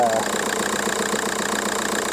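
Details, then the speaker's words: VW Golf Mk4 PD130 diesel, just started after injector loom replacement and EGR valve refit: short stretch of even diesel clatter at idle, regular beat, no misfire or hunting; "loads healthier… baby purr"; normal idle. "loads healthier that look no healthier listen to that baby purr"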